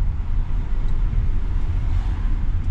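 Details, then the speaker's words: Lexus GS300 after a long standstill, on a road test after freeing the dragging, scraping brakes (a small stone found, new pads still on order): only a steady low road rumble, no scraping or grinding; brakes now quiet. "geil keine geräusche mehr"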